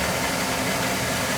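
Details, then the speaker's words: Oil-fired boiler, about three years old, after running out of oil and bleeding the line: steady, even roar with no pulsing, popping or rumble; clean oil flow, burner firing normally. "lright, now we're getting a good oil flow here. Clean, good oil flow."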